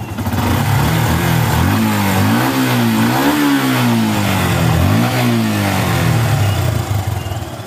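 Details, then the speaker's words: Yamaha Bison that backfired on closing throttle, fixed by plugging the hoses from the engine and intake manifold: revs up and down cleanly through several blips with no pops or bangs, now running healthy. "dan sembuh ya Enggak nembak-nembak"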